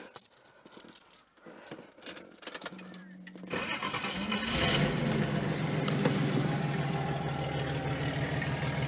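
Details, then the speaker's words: Datsun 280ZX first start with the muffler removed during a new muffler install: after some rattling, catches and settles into a loud, raw, deep rumbling idle, open pipe expected to drone inside; open exhaust, muffler removed. "Yeah, actually, it's not that bad. Alrighty. It's really not that bad. But I'm going to put the actual muffler on there just because I know this is going to drone real crazy on the inside because it's underneath."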